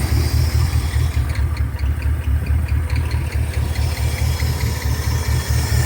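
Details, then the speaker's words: 1973 Ford F-250 V8 with glass-pack exhaust, first run in 18 years, idle raised after smoking stopped: steady, even low rumble with no stumble or miss; runs smoothly now. "i think i need to come back over here and finish this saw as old ford starting to warm my little cold heart and she sounds pretty good"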